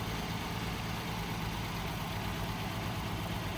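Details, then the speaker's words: 2008 Ford Edge at auction, missing battery, started on jump box: smooth even low rumble with no knocks or ticks; healthy running, moves forward and backward fine. "board started right up with the jump and moving it"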